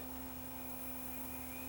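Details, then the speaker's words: Panasonic DMR-EH50 DVD recorder after a replacement part was fitted in its power supply: the internal hard drive spins up with a faint, steady buzzing hum and even whir, no clicking or scraping, which is normal. "okay, hard drive spinning up. I think it's gonna work. You can hear it buzzing away."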